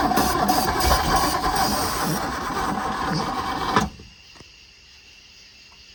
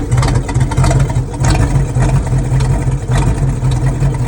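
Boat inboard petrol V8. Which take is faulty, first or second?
first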